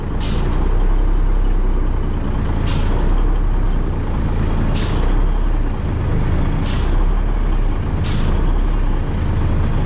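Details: Truck with Gemini pump, started up: diesel idles steadily while sharp air hisses burst about every two seconds as each control shifts up, in and out; working normally.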